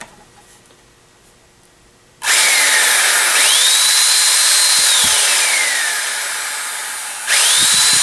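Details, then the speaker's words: Eureka Airspeed One vacuum cleaner that ran too loud: bare motor run with cover off after clearing crud out; bearings seemed a little rough. High clean whine rises to speed and holds smoothly, switched on again, no grinding; crud suspected as the cause. "it actually seems pretty good so there might be a chance that uh that all that crud that was inside here it was actually what was causing her problem"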